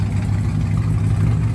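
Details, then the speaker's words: Chevy Camaro SS V8 at cold-start idle, throwing a cylinder 6 misfire code despite repeated plug and coil pack replacement: uneven stumbling beat with a brief sag as if stalling; injector or internal fault suspected, not confirmed. "I don't know if y'all can hear it, but it kind of died on idle a little bit. Yeah, right there. Yeah, this car is misfiring."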